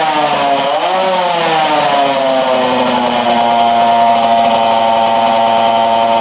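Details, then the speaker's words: 1966 Yamaha YL1 two-stroke twin, first start, throttle held wide open to start, very smoky with oil spilling out. It revs fast and high with a wavering pitch; high idle, cause unknown. "She fired up. Holy cow, that thing is smoky. I had to hold the throttle wide open to get that thing to go. And uh right now it's revving pretty high."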